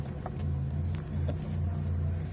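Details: Hyundai Santro Xing at 52,205 km with a misfire and poor pickup despite two new ignition coils and four new spark plugs; it starts and settles into a low hum that wavers and dips unevenly, a misfire.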